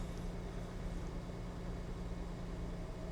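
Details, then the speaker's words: Car just started: low steady idle rumble with a slightly uneven beat, 113,000 miles, sounds like it's missing a bit; cause unclear. "engine is kind of it kind of feel sounds like it's kind of missing."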